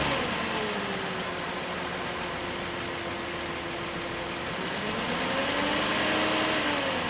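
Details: 2008 Nissan Elgrand E51 (ME51), 2.5 L, about 90,000 km: with the A/C compressor engaged, a steady whine over the engine hum drifts in pitch and then rises with revs from around 2000–2500 rpm; the noise is absent when the compressor is off, and the cause is unclear.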